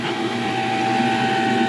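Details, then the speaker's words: Furnace not heating at -6°F outside, thermostat jumped: draft inducer motor runs with a constant high whine and rough edge over its hum; bearings going out. "don't sound good at all [Music] yeah bearings are going out"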